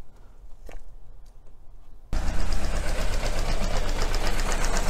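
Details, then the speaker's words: Small petrol engine with coil-on-plug ignition, cylinder 1 coil deliberately lifted to simulate secondary winding or spark plug failure: uneven loping idle, about four pulses a second, one cylinder not firing, confirmed on PicoScope. "so what I'm going to do is lift the coil off this look so we don't get a proper spark good simulate a secondary winding failure or a sparkplug failure"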